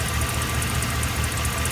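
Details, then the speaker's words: 2008 Chevy Express V8 with 444,000 miles, once plagued by noisy lifters, now after rocker adjustment and oil changes every 2000 miles: started just after an oil change, it idles steadily and evenly with no lifter tapping or ticking. "So you can see, got the truck running, nice, smooth, powerful, strong engine, and no leaks."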